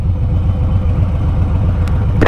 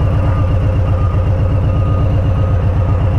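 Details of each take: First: Harley-Davidson Street Bob, Stage 1 tuned, idling normally in neutral in a parking lot: steady, even V-twin idle with a lumpy low beat and no misses or rattles. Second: Warm Harley-Davidson Street Bob, Stage 1 tuned, idling in the street: lumpy V-twin beat with an off rhythm, RPM surging to about 970–1020 then settling near 1000; a throttle blip levels it out briefly before the surge returns.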